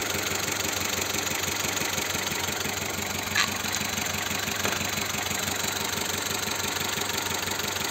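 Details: Car parked, engine idling with shaking: steady idle with an uneven, lumpy beat about three times a second as one cylinder drops out; misfire on one cylinder being traced, injector check planned.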